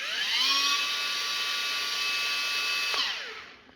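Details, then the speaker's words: Makita 18V LXT line trimmer motor run through its slow, medium and full speed settings. A high, clean whine climbs to full speed, holds steady, then winds down smoothly. Normal running. "Okay, so that'll be like a power saving mode, so it spins slowly until you get a bit of strain, and it'd ramp up the speed then, I suppose. Slow, medium, and full."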